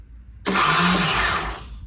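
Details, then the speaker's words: KTM 250 SX-F during restoration, first test after reconnecting battery: brief high whir rises and fades with no firing; starter motor spins freely without engaging the engine. "Well, the good thing is it's working, but the starter isn't engaging."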